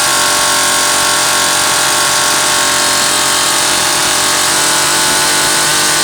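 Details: Zama C2002 carburetor from a McCulloch Pro Mac 800, tested on a 54cc engine with different linkage and no idle screw, so it won't idle; needles turned in about half a turn; steady high-pitched two-stroke buzz without surging or dropouts; running fine.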